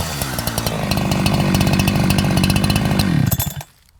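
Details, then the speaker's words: Holzfforma G372XP chainsaw after a new carburetor and fuel line check: it screams at high revs while cutting but sags slightly at the top end, a slight top-end bog. It has probably been a slower-rpm saw since new. "I'm sure you can hear in the testing there at the very end that the saw was still wanting to bog down a little bit on the top end of things"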